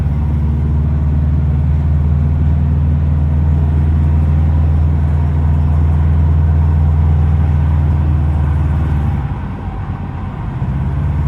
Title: Subaru Forester XT ej255 exhaust leak or wastegate flutter?